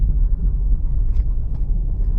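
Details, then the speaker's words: Car driving after the upper and lower ball joints were replaced; these had caused a squeak when rolling over bumps. Low steady rumble with no suspension squeaks or creaks: quiet suspension. "вот поменяли шаровые верхние шаровые нижние машины перестал стерпеть то есть дело это было в этом"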